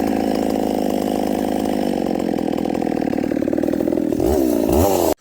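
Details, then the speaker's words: Stock Husqvarna 266SE chainsaw with over-advanced intake timing. A steady high buzz, then revs sag and wobble as it loads up with fuel on the low jet and stumbles, however it is tuned; it is a picky idler but cuts well. "Okay, now back to intake timing. This one's over intake. Listen for it loading up right here. You'll hear it stumble."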